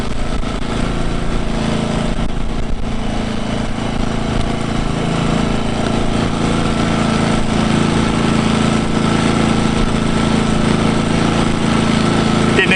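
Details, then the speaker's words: New Engel 2500W inverter generator, 120cc engine, Eco mode, running in with a roughly 150 W camping fridge load: steady, even idle, revs don't even ramp up with the load; normal. "hear it generator hasn't even had to ramp up the revs"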